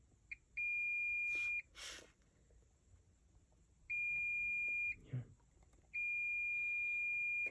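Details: Klipsch R-10SW subwoofer with constant thumping sound: multimeter continuity gives a steady high beep each time the probes touch the MOSFET pins, showing it shorted.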